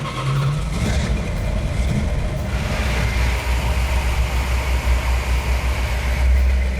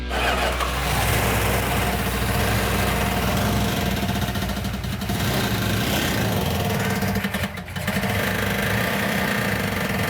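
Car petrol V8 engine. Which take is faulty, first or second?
second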